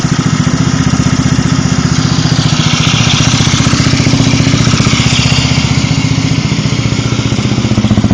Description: Ticking may be related to the cam tensioner or the light weight fan that's being used on the scoot.